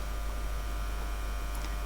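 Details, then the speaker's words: Ferroresonant transformer in the power supply of an RX02 8-inch floppy drive from a PDP-11/34A restoration, mains input varied over a wide range (about 170–250 V) with the output holding steady: a steady low mains-frequency buzz with no rattle or pitch change, typical normal hum. "You can hear the typical ferroresonant buzz, but you can see how this self-regulates."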